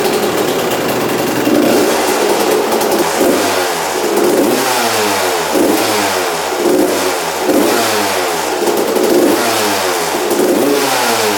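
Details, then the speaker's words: 1993/94 Suzuki RM125 two-stroke after carb returned to stock (55 pilot jet, air screw 1.5 turns out): crisp repeated revs, clean pickup, no stumble or sputter, idles; normal running. "yeah all right idles and everything"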